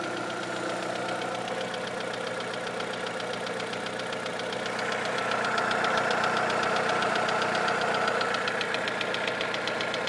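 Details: Astra engine: light, even top-end tapping about four per second that quickens with acceleration and goes away above 2000 rpm; engine ticking of unknown cause.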